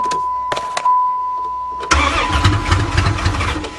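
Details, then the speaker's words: Van engine started after being hydrolocked from driving into water, intake manifold removed to drain water, some water possibly still inside: chime and clicks, then it catches at about two seconds and runs rough but keeps going; engine starts. "oh she wants to live yes it's alive it's alive"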